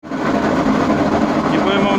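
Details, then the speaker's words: Washing machine on spin cycle: loud steady roar with droning hum; water leaked into the drum bearings and damaged them, transmission needs replacing. "notar el fuerte ruido que tiene la lavadora en el ciclo de centrifugado le pasa agua a los rodamientos y se dañan el rodamiento Valero si empieza a sonar de esta forma"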